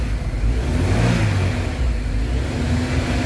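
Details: 2000 Honda City that stalled intermittently, after repairing an RPM signal wire shorted on the meter side: runs and revs cleanly with a steady deep roar rising and settling evenly, no stumbling or cutting out; healthy running.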